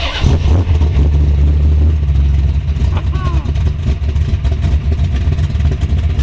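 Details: 1932 Ford Roadster hot rod with ZL-1 big-block, 942 miles, warm after being driven in, just started, 175° temperature, oil pressure about 80, 13+ volts: deep, even big-block burble at idle, steady low rumble, no knocks or ticks; healthy idle.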